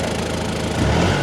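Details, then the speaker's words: Mercedes W212 at idle: brake vacuum pump has become noisy, a rough buzzing swelling when the brake pedal is pressed; owner plans to replace the pump. Separately, console vibration above 3000 rpm is suspected to be the gearbox mount. "Ja sitten en tiedä kuuletteko tuo alipainepumppu on ruvennut ääntämään."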